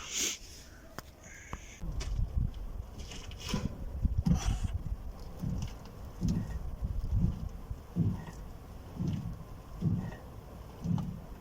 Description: Так же, показываю, какой звук издаёт неисправный опорный подшипник, при повороте руля.